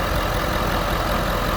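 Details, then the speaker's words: Ford F350 diesel right after replacing a failed intercooler cold-side pipe. Steady, even diesel clatter at idle with no misses, hisses or knocks; it sounds better than before the repair. Idling smoothly. "see no reason why she shouldn't be running right hey but you never know right she sure do sound better"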